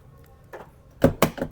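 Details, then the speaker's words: Ford Everest with burnt ECU replaced and immobilizer switched off: remote key gives quick, crisp, even pairs of mechanical clacks as doors lock and unlock; central locking works normally. "Nakalock. I-unlock ko. Ayan, bukas na. So gumagana pa rin yung susi natin."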